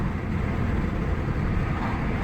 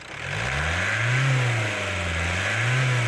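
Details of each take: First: Ford Mondeo Mk4 1.8 diesel, previously in limp mode with no power and fault P2263, on a road drive after a carbon clean; deep even drone with no stumbles or flat spots, plenty of power, accelerating normally. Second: Ford Mondeo Mk4 1.8 diesel in limp mode with fault P2263 (turbo boost performance), after over an hour on a carbon cleaning machine; revs rise and fall about every 1.5 s, pulling harder as the sticking turbo actuator frees up.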